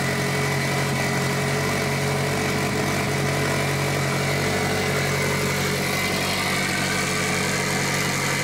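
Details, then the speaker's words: Mitsubishi Evo 8 4G63T on first start after engine rebuild, on a lift with one mount missing: steady but noticeably fast idle, even drone, no hunting; high idle, first suspected an air leak, traced to a misadjusted throttle body. "Because it should idle normal. Oh, is that why it's idling high?"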